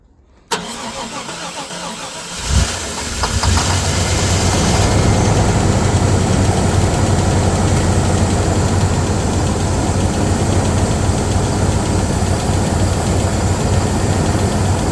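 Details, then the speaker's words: 1995 Chevy G20 conversion van, first start in 15 years: starter grinds and cranks, the engine catches on starter fluid and settles into a rough steady idle; no fuel pump heard priming, so the fuel pump is dead. "Yeah, definitely fuel pump."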